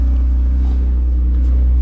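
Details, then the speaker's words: Manual BMW 135i N54 petrol engine after near-complete engine rebuild; deep steady low rumble, even unbroken idle with no knocks or ticks. Normal idle. "as you can see she runs like a beauty"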